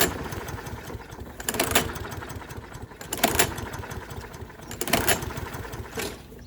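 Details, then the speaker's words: Toro 6.75 HP 149cc guaranteed-to-start mower with a Kohler engine, not starting because of bad gas. The air filter was fine and it had fired once. Three pull-cord cranks about 1.7 s apart, never catching: no-start from stale fuel clogging the carburetor. "today's video we have a toro 6.75 horsepower 40 149 cc um powered by a core engine so guaranteed to start but this thing is not starting"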